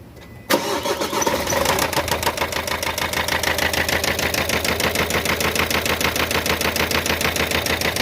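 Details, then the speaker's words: Expert 1.5 van whose engine was swapped and worked on elsewhere, idling after start: hard rhythmic knock about three per second over rough idle; pistons (first and second cylinders) striking the cylinder head, marks visible. "esse aqui tá batendo na cabeça do cabeça do pistão tá batendo aqui no cabeçote ó se liga"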